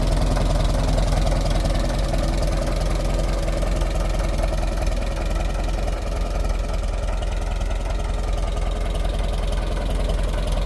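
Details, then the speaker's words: Fully restored 1958 Farmall 450 tractor after a tear-down, engine tune-up and repaint: a steady, even, low idle with a regular beat and no misses or stumbles, a healthy, well-tuned engine that is running really good. "Well, here she is all finished up. Sounding perfect. Running really good."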